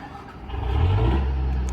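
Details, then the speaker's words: Onan DJC diesel generator started by wireless remote after glow-plug preheat; loud, steady low rumble building after start with an even beat, no knocks or misses, running healthy. "of course you can hear the generator these djcs are loud"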